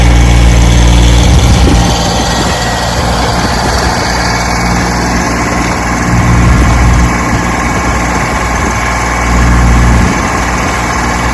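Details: 1968 Johnson 6 HP two-stroke outboard on windy lake test run after mechanical restoration: even buzz at steady speed, no misses or rattles, some wind noise; runs fine.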